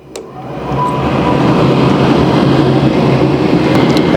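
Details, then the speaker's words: Furnace inducer motor starting right after its unplugged wire is reconnected, with the control board supplying about 125 V: spins up within half a second to a steady, even whoosh with no rattle or scrape; running normally. "as you can hear, the inducer motor is now running."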